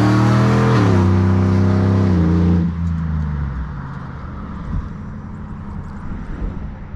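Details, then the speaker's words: Slammed NBS GMC Sierra V8 with long-tube headers and new Speed Engineering 3-inch single catback, wide open throttle revs in front of the house: deep bellow, firm and even, no rattle; healthy exhaust note. "I'm gonna do some wide open throttle in front of the house so you guys can kind of hear what it sounds like that way"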